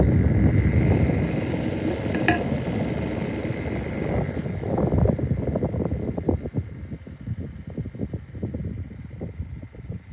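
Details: 2002 Woolworths 9-inch desk fan: motor drones with a high whistle and rhythmic flutter about four times a second as it winds down; sounds rough but still runs.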